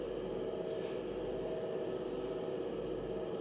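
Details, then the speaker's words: BMW 650i E64 N62 V8, warm, after new gearbox mounts, driveshaft flex disk, RH motor mount and diff bushing: quiet even hum backing up, no clunk on reverse engagement; previously clunked in reverse, clunk now gone. "Well, no terrible noises there. It did clunk in reverse. It does clunk no more."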